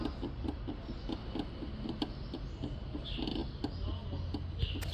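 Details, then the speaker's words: Peugeot 307 suspension, stabilizer link disconnected: quick regular clacking about four knocks a second from the loose lower ball joint worked by hand; upper joint binds, causing a creaking noise; knock plus creak in steering. "aqui embaixo tá bem folgado Então ela tem um barulho de batida e esse barulho de rangendo que é lá em cima"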